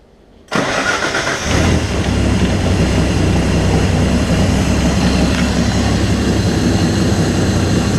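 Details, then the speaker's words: Normal start and idle of a Datsun 280Z during a turbo install, with fresh fluids, new oil and a replaced oil pan, oil drain still pending: fires within half a second, settles to steady even idle; oil pressure confirmed. "she's running. Let's check oil pressure. We've got oil pressure."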